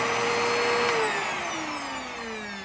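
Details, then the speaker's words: Eureka Contour vacuum, spliced power cord before cord replacement: smooth high motor whine, no grinding or rattling, pitch easing down as it slows; motor sounds okay, brush-roll belt worn but connected. "Yeah, that motor sounds okay."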